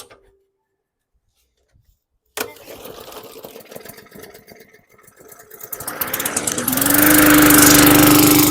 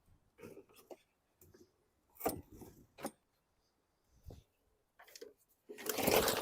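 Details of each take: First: 2017 Bolens lawn mower (model 11A-020W765), bought non-running, primed then pull-started: starts first pull with a little cough and spit, then settles into a steady, even buzz, running properly. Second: 2017 Bolens lawn mower, non-running, sat outside: a few sharp cord pulls, then the engine catches for about a second in a rough choking sputter and dies; fuel delivery suspected, carburetor to be removed.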